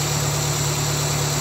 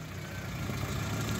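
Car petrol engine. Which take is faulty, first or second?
first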